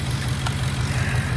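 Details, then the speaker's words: 2009 Ford F150 5.4 L V8 at idle with an uneven, stumbling low pulse; cylinder 4 misfires only at idle, smoother at higher rpm, fuel trims off the charts on both banks; suspected vacuum leak. "Misfire on cylinder number 4, only at idle. You raise RPMs up, it gets smoother. It's screaming vacuum leak."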